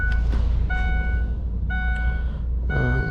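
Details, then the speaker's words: 2008 Ford E350 Econoline with no crank, no communication to PCM and flashing theft light: high chime about once a second in short bursts over a low hum, unfamiliar warning; battery then found at 7–9 volts, dead. "But of course the dinger works. Actually now it went nuts. What is that? Let's see. I don't think I ever heard that noise before."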